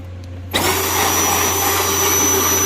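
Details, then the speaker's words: Farm Gator after a repair, tested before full reassembly without a battery: motor spins up sharply to a steady, even whine with no grinding or clunking. Seems okay, feels tighter; normal running. "seems okay."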